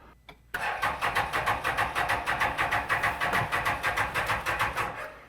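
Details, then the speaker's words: 2016 Can-Am Defender HD10 XT abandoned about five years in the desert, rebuilt fuel pump fitted with fuel pressure present: steady cranking about three beats a second for nearly five seconds, no start; injectors not firing, possibly stuck. "yeah the injector is not firing so so it's either signal going to the injector which I think we can check or the injectors are stuck from from stuff in it"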